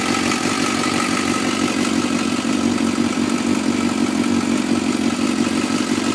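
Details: 2004 Suzuki GSXR 600 at cold start in Arizona: even, fairly quick ticking over a steady cold idle; owner suspects the cam chain tensioner needs replacing, unconfirmed.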